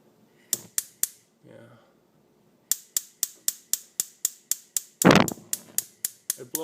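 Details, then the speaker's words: Electrolux gas stove cooktop burner: sharp igniter clicks about three a second, then a puff as the owner blows on it; he believes the burner fails to light from too much gas, not too little. "that tells me if there's too much gas you have to have the right gas-air mixture if there's too much gas it won't ignite"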